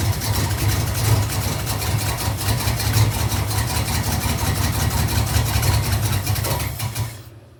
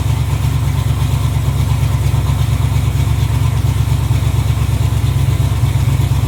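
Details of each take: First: 1986 Camaro Z28 350 small-block V8 at first start after unloading: runs rough with backfire out the exhaust; owner suspects timing, maybe valve train; oil change and fuel tank cleaning still needed. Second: 1986 Camaro Z28 350 small-block V8, previously backfiring for the last owner, first run off the tank on a new fuel line with oil pressure and charging: deep even burble, steady lope, no knocks or ticks; healthy idle.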